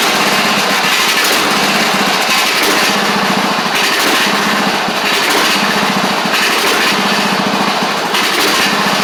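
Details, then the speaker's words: Craftsman DYT4000 riding mower after sitting about 2.5 years, started with only fresh gas and a little choke (choke was stuck): single-cylinder engine runs fast and steady with crisp even exhaust note, no misses; sounds good. Normal running. "very very surprised that the thing kicked over like it did by just putting gas in it but we'll take it um sounds good as well"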